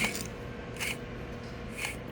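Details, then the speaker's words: Used junkyard rear axle part, appearing flood-damaged, rear wheel turned by hand: gritty scraping surges about once a second, a rough, worn wheel bearing judged no good. "Well, what about the wheel bearing, you might ask? Well, I don't know if you could hear it. That wheel bearing is no good."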